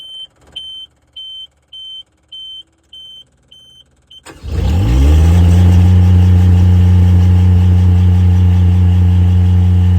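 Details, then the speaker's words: Miller Bobcat 200 Air Pak diesel welder compressor, first start after repairing a compressor locked by rust and water from a faulty intake valve: warning beeps, then diesel catches to a steady, even low rumble, no knocks; normal diesel idle. "I'll show you guys as she starts up for the first time after being locked up. Alright, we're gonna try and fire it up real quick. Think about it there for a second. See what she'll do. She's good."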